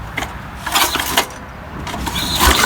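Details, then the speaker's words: 1967–72 Snapper Comet 26-inch rear-engine riding mower, 8 hp Briggs Hi Vac, stored for years, pull-started after refitting the screen: rapid bursts with a firm regular chuff each stroke; good compression. "feels like sounds like it's got pretty good compression"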